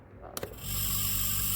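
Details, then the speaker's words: Indesit fridge, 1-2 years old, with new replacement compressor, tested before brazing: a couple of clicks, then a steady low hum with an even high hiss; compressor starts and runs smoothly with no excess amperage. "Motorimiz ishladi. Amperajlari yo'q. Endi payka qilsak bo'laveradi."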